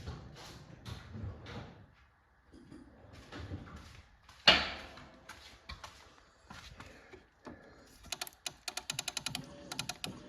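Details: John Deere 445 lawn tractor that cranked but would not start; after clearing a corroded fuse holder and melted fuse, the electric fuel pump runs with crisp, regular ticks about six a second, following handling clatter.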